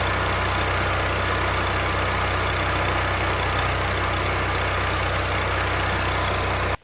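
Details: Firman T07571 generator after excess oil was drained to normal level; it runs a steady, even drone and shuts down cleanly as the smoke clears; earlier intake backfire makes valves suspected; normal running.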